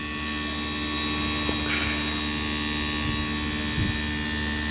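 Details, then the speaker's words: Samsung inverter AC outdoor compressor, which previously would not run, after circuit board repair, set to 16°C with indoor fan running; steady hum with constant high whine, no knocking or surging, drawing high amperage and taking load well: normal. "হ্যাঁ, খুবই সুন্দর compressor চলতেছে, load খুব ভালো নিচ্ছে।"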